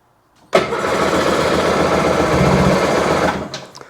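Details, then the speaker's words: 2001 Sea-Doo GTX RFI 787 two-stroke, spark confirmed and battery charged, water from exhaust: cranks, catches, runs rough about three seconds, then sags and dies with pops; starts then stalls, owner wonders about fuel dumping. "Ah, and then it doesn't. It runs till it doesn't."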